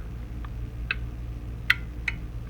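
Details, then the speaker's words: A 24 V relay coil powered up gives sharp little clicks over a faint background hum. The relay pulls in crisply, so the coil works. "So yeah, you can hear it come on."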